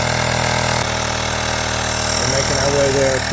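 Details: USB rechargeable air pump inflating the plugged motorcycle rear tire from 0 toward 2.4, unit gets very hot: constant buzzing motor drone at a steady pitch, no stutter or labouring; normal running.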